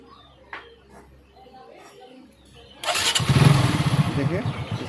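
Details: Hero Super Splendor motorcycle after adjusting and tightening the timing chain tensioner, which had caused a sudden loud engine noise while riding: a quiet workshop, then the engine starts and settles into an even, steady idle.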